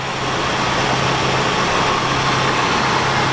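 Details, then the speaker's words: 1978 Oldsmobile Cutlass V6 sitting since 2005, just revived, fast idle kicked down, idling on its own; low steady hum with no misses or knocks, no major leaks seen; normal idle. "it's running nice there just kicked down completely idling on its own"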